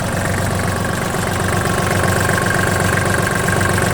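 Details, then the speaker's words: 2006 Kubota GT21 tractor, 3-cylinder 21 hp diesel, 498 engine hours, under the hood: even steady diesel idle clatter, smooth evenly spaced pulses, quiet, no misses or knocks; normal idle. "Двигатель ни ничего не бежит. Работает ровно, работает тихо."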